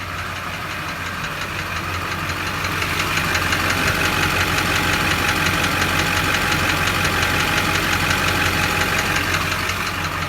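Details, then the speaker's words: 2001 Chevrolet Duramax 6.6 L diesel, warmed up after driving, idling with a steady tapping of about three per second over the clatter; engine tapping noise, cause being diagnosed with a scan tool, not confirmed. "And what I got going on with this is we got a kind of crazy tapping noise coming from the engine."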